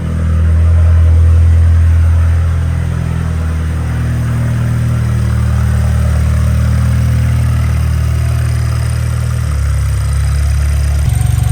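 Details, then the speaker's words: First start of freshly rebuilt BMW N20 four-cylinder (328i) with no exhaust fitted: loud, raw steady idle with light top-end tapping; engine itself runs smoothly, normal idle. "Oh my God, that sounds horrendous. Not because there's a problem with the engine, just because it's a 4-cylinder with no exhaust."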